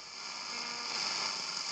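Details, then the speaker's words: Vintage Braun SK25 tube radio after electronics restoration, AM band on a mini whip antenna: only a thin, quiet hiss with a faint whistle; just the local station received, very badly; cause unclear. "This is crazy. The only station I receive is the local station, and I receive it very, very badly."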